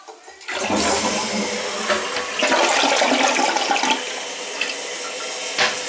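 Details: Toilet flushing after fill valve replacement and adjustment: steady rush of water and refill hiss, no banging.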